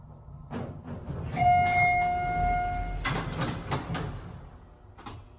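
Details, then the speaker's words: Parking-garage elevator in downtown Kalamazoo, MI: the door slides and bumps several times with a steady chime, hesitating, before finally closing and the car moving. The door-closing function is not working properly. "Door closing not working on this one either."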